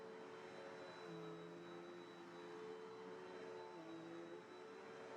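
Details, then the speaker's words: Cheapened Bissell upright vacuum with a 10 amp motor rather than the classic 12 amp: a steady, whiny motor hum with a thin squeal drifting in pitch, possibly the belt or brush roll; unsure whether it will go away. "There's a little squeal. I don't know if it'll go away. There's a little bit of a squeal"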